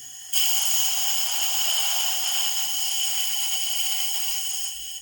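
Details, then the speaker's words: 2012 Harley CVO FLTR Road Glide oil pump on a bench air test: a sharp, steady air hiss from about 10 psi that grows loud by 30 psi, against a 50–60 psi target. The relief plunger is not seated and leaks; the fix is to reseat it. "i'm at about 10 and i can hear it leaking already so that means our plunger is not seated properly 30 and it's really starting to leak"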